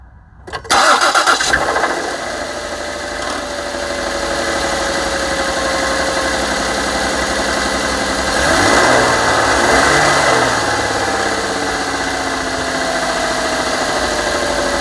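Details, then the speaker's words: 2007 Ford Edge 3.5L Duratec V6 cold start after a water pump replacement: cranks, catches, settles into busy idle with a dull, uneven knock underneath; owner believes rod bearing failure (rod knock). "So this is what it sounds like when you first start it up when it's cold."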